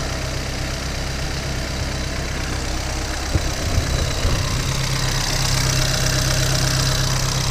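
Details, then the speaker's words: BMW 320i turbo, first start after engine rebuild, fault code cleared, left to warm up: steady idle with busy fast top-end ticking over a low rumble; loud but normal valvetrain chatter for this engine. "É barulhento esse motor. É muito barulhento esse motor mesmo."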